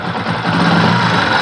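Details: Motorcycle revved: a light, fast "jir jir" ticking chatter from the engine head rides over the exhaust note; tappet clearances need adjusting after setting cam timing.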